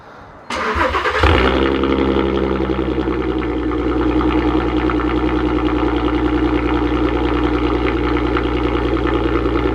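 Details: Mk5 VW R32 with newly installed valved aftermarket exhaust: quick crank, catches and fires up clean, then a deep even idle with a steady exhaust note; engine sounds healthy, normal start and idle.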